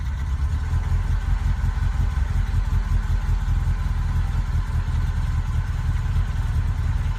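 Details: BMW 2002 with a very gradual, light throttle increase: the engine runs deep and uneven with irregular stumbles breaking the beat. A misfire, cause not yet clear.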